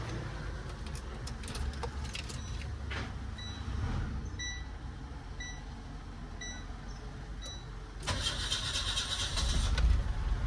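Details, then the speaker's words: Nissan Exalta petrol engine with low power, idling: wavering, sagging idle that dies, then cranks and restarts; stalls when accelerator pressed. "Tapos pag inaapakan yung silinyador namamatay."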